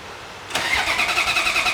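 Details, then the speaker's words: Ferrari F355 V8, new spark plugs and wires, in rain, checking fuel pressure (fuel leak found): starter cranks with steady rhythmic chug but never fires. "you got to be cranking the motor oh i also forgot to plug the coils back in"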